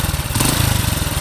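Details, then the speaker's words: Honda Supra X 100 (C series) after replacing worn rear cam chain tensioner roller on magneto side; previously rough with a knock: quick, even exhaust beat, no top-end ticking or rattle, now smooth after a test ride. Normal running after repair. "ini sudah halus sudah saya bawa muter-muter tidak seperti kemarin kasar"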